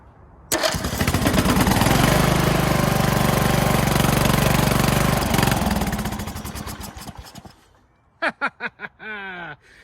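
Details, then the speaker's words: Craftsman LT2000 mower engine, kill wire disconnected, spark hopefully restored, 2-stroke squirted down the carb: catches, settles into a fast, even beat of about four firings a second, then winds down cleanly; runs well. "Oh, success. It actually sounds good. Oh, man. She wants to live."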